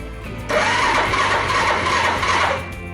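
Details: Honda Super Cub with slow starter motor despite a replaced battery, starter button bypassed by grounding the wire: two-second rough, sluggish cranking. The switch is ruled out, the relay is thought fine, and the starter motor is suspected. Kick start works easily.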